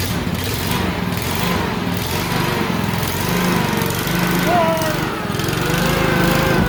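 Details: Honda GXV160 single-cylinder engine on a ventilator build, running after ignition lead plugged firmly onto the coil, air cleaner not yet fitted; steady firing at full throttle, slight pitch wander, no misses or knocks: normal running.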